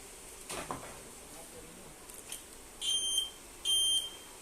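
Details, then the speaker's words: Universal keyless remote module fitted to a 2013 Honda Beat with turn signal switched on: two short, high electronic beeps a little under a second apart in time with the indicator flasher; module working correctly. "Motor akan mengeluarkan suara ya. Dan bila kita pasang lampu sennya, maka suaranya akan mengikuti suara sen ya."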